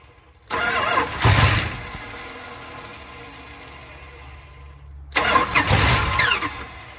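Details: 1970 Dodge D100 383 big block, sat 30+ years, first start on brake clean with no throttle, cranking slow: two bursts catch, sputter and die; fuel-starved carburetor, later found with seized throttle shaft and garbage in the bowl.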